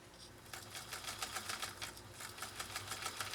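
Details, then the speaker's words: Scottish-built Singer Featherweight 222K (1953–1961) sewing thin 100% polyester ribbon looped around the free arm: quick, light, even needle clatter at about three stitches a second with no labouring; the machine runs well. "and I have it looped around the free arm so we can sew in a circle sort of and you can hear this incredible 222k do its thing on some lightweight material"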